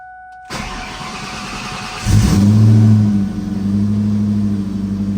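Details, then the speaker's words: 2003 Ford SVT Cobra Terminator V8 starting right after a DIY swap to new NGK TR6 spark plugs, with the intake removed and refitted: the starter churns briefly, then the engine catches cleanly, flares and settles to a steady, even idle with no misses or ticks. "Everything went good. Now to turn it on, see if everything's good."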